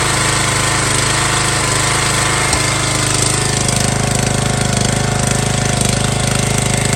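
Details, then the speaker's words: MTD Yard Bug riding mower left sitting for years at a boat storage yard, running after a spark check and fresh gas: small single-cylinder engine at a steady, even fast beat with no misses or knocks, healthy. "wow I am blown away I wasn't expecting this thing to starts"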